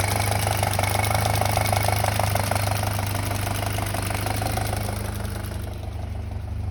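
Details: 2007 VW MK5 GTI Fahrenheit 2.0T FSI BPY at idle, close-up: light fast metallic rattle about two per second over the engine; owner believes cam-to-cam timing chain rattling, unconfirmed, plans chain and tensioner replacement.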